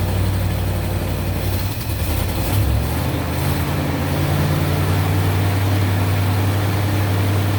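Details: 1970 Mercury Cougar V8 after a broken engine wiring harness was repaired so it starts with the key: deep, steady idle rumble with an even beat and no misses or knocks; running healthy.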